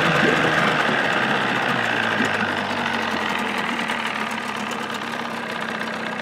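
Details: 1979 Evinrude 35hp two-stroke outboard running under its hood with sound-deadening insulation, about 83 dB: an even, steady drone with a brief rise in revs and no knocks or rattles; quiet enough for conversation, runs healthy.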